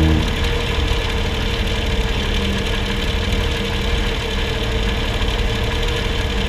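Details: Vehicle driving on road: heavy low rumble and thumping with clunks under steady road noise; something loose or worn in the suspension suspected, not confirmed.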